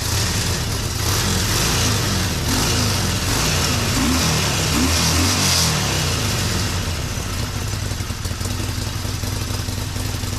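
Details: Harley-Davidson 48 bought from Copart, first start after getting it running again: loopy, uneven V-twin lope at idle with a few throttle blips, steady and unbroken; engine running healthy.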